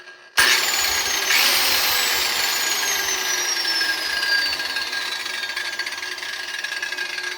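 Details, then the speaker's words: 6-inch angle grinder spinning up with visible wobble: high, rough, gritty whine dropping in pitch on spin-down; gears sound damaged, could probably use grease. "sounds like this has some serious uh sounds like the gears in here are right [ __ ] up"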